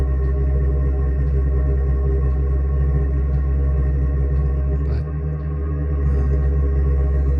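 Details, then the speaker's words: Chinese diesel combination water heater/furnace being installed in an RV bus, exhaust pipe out the side, air bubbles still in the fuel line after priming. Deep resonant roar with an uneven, pulsing burn that smooths once it runs well. Unstable combustion from air in fuel line. "you can kind of hear the inconsistency in the burn there as it gets some bubbles, and once it gets going good, the noise changes altogether."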